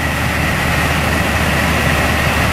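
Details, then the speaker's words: 2007 Mercedes S550 W221, engine idling, after replacing a dead blower motor and resistor, heard from the driver's side: steady, even rush of cabin air with no grinding or ticking; the new blower works normally. "yep you see that was what our issue was the other one was not working at all so we definitely call this a success"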